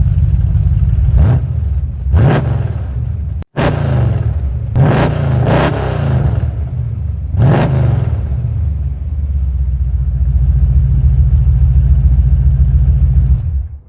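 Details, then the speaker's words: Chevrolet Camaro Z28 V8 after overhaul with performance components to cure earlier rough running, stainless exhaust with Flowmaster mufflers: deep, even rumble with sharp throttle blips rising and settling cleanly, no knocks; much better and quiet now. "so as you can tell by the video i've just done there she sounds a lot better now lovely and quiet"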